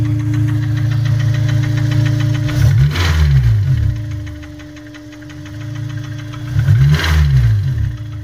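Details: Honda S2000 idling: sharp regular knocking about four per second, louder in two bursts; suspected rod knock or timing chain tensioner, not confirmed.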